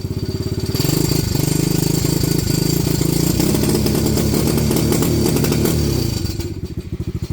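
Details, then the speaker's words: Venom Madix 125 quad (PZ20 carb), choke makes no difference: single fires up, runs with ragged uneven beat, pulses stumble and fade, rough unstable idle; owner suspects air-fuel screw or valves, unconfirmed. "It's doing something it shouldn't be. So, huh. We gotta maybe adjust the air fuel screw."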